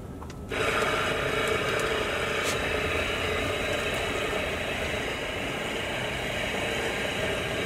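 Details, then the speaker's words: Water pump on a Fleetwood F53 Class A RV, reinstalled with lines still closed: a fast, steady buzzing chatter at an unchanging pace while it compresses air in the lines. It runs but is not yet delivering water. "Nothing yet. I mean, just reconnect it. Start pushing the air out. It's going to compress it."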